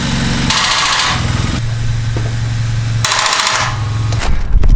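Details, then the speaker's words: Supercharged Viper truck that won't start, being jump-started with cables on the positive terminal and a clean ground bolt, in neutral: labored starter whirring in bursts, engine never catches. Weak battery suspected and a new battery is coming. "Oh that starter doesn't sound good I don't like the sound of it"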